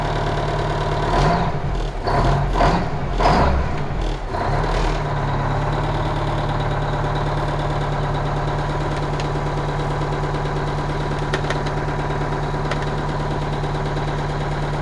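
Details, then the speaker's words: 1985 Kenworth cabover diesel truck, parked and sitting for weeks, cranks briefly and catches on about one roll, then settles into a steady, even, smooth low diesel idle; a normal start and idle. "man i love this truck do you hear how it turned over like one one roll and it was running and it's been sitting here"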